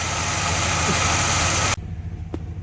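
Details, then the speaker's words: 1982 Chevrolet Impala, 305 V8, first start after sitting five years: steady high squeal of constant pitch over an even idle from a slipping alternator belt; alternator apparently working. "all that belt squealing also tells me the alternator is probably working"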